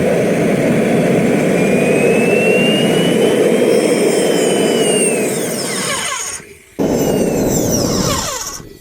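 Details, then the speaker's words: RT130 model jet turbine, run after reassembly following a previous breakdown: steady whistle climbs then slides down as it spools off and cuts out; afterwards the turbine jammed, owner suspects something behind somewhere, housing took damage, cause unclear. "but the turbine is now just under jammed and I suspect that there is Kamchatka behind somewhere"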